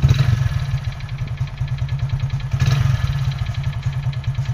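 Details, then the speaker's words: Hero HF Deluxe motorcycle, about 21,000 on the clock, checked by ear on engine: steady quick tak-tak clatter over low single-cylinder idle, dull tapping that doesn't fade; piston slap. "वो piston का sound है तो piston का sound क्यों आता है"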